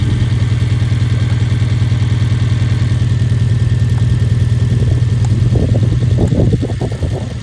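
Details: 2011 Hyundai Genesis Coupe petrol engine idling with a lumpy, uneven beat of about three pulses a second, a misfire on cylinder 4, a common issue.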